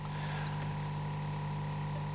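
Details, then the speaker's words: Akai CS-M02 cassette deck (circa 1980–81) under test through an old amp: steady low hum with a faint high tone and light hiss, no rhythm or change; the amp's background hum. "sometimes doesn't have to have an old amp that's a bit noisy because at least you know when it's running"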